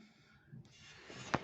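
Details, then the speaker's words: Renault Megane 2 front suspension: three short sharp knocks from worn anti-roll bar bushing bracket, appeared after frosts; temporarily eased by placing rubber under the bracket. "стук это стучит скоба втулки стабилизатора"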